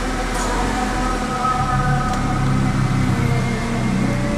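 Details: Toyota Kijang Super after ignition contact point (platina) adjustment: even steady low drone, no misses, stable idle around 1,000 rpm; normal idle.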